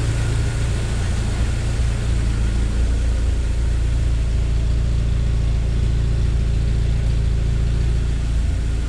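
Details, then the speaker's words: 1997 Jeep Wrangler TJ 2.5L idling not yet warm, just after timing chain and gear replacement: steady low rumble with no rattle or slapping from the front; owner believes it runs better than before. "i believe it's running better than it used to"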